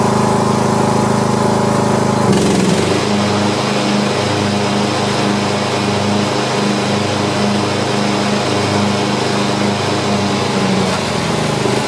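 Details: Poulan Pro lawn tractor being test-run after mower deck repair. A steady single-cylinder drone settles after a brief change near the start, with regular firing and no misses or knocks. Running normally.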